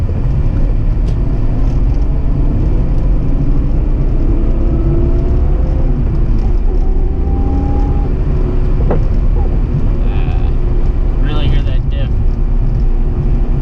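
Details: 1999 BMW 323is drift car with a welded differential, while driving: a faint whirring whine rises and falls with road speed over steady road and engine noise. The owner says the noise is the diff.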